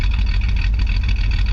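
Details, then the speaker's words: The 250 car, just out of winter storage and running on roughly two-year-old gas on a near-100 F day: even low burble with a steady quick pulse and no misses or tapping; idles smoothly. "Running pretty good, considering the gas is like 2 years old in this car."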